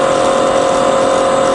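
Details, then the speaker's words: Fully rebuilt Bridgeport milling machine, variable speed head, spindle in high range stepped from 9000 to 2000, 1000 and 450 rpm, then about 1000 rpm in reverse; smooth, even mid-pitched hum with no knocking, grinding or rumble; normal spindle running. "okay so let's go all the way to the top that's to 9000 that's 2,000 back down to a thousand and then on to 450 okay reverse now [Music] thousand in Reverse mm 2005"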